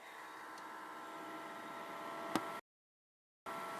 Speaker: it would be nice if you guys can hear my cooling fan